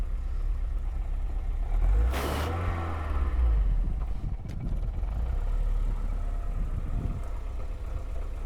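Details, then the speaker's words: Unidentified car at a Copart auction yard, just started, runs a little shaky at idle: lumpy, uneven low rumble with one loud clatter early on; an air leak or busted hose is suspected, not confirmed. "Engine's a little shaky, and there's a air leak somewhere, it sounds like. Busted hose."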